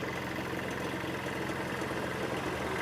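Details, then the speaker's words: Hyundai Xcent diesel, engine replaced after five rebuilds, at idle: uneven, rattly knock over the steady run; injector test shows excessive back-leakage (cylinder 2 worst, 1 less, 3 least), blamed for the knocking; injectors to be bench tested. "ये जो back leakage गाड़ी के अंदर बढ़ती है ना ये बढ़ती है। गाड़ी नॉकिंग करती है ना उसकी वजह से बढ़ती है बैक लीकेज।"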